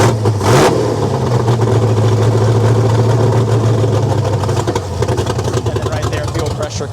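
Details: LS-swapped Dodge Dakota V8 on first start, new ignition coil holders: loud idle wavers and drops, then turns lumpy; hunting idle, possibly too much or too little fuel since fuel pump was off, cause unconfirmed.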